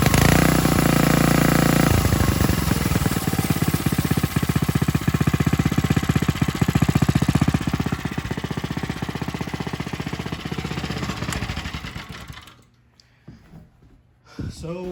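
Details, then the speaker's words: Coleman RTK100 100cc go-kart engine: even, quick firing beat with no grinding or scraping, shown for comparison with a kart whose poorly lubricated centrifugal clutch grinds; healthy clutch, normal running. "so i'll show you this one this is how it should sound when it's running smoothly"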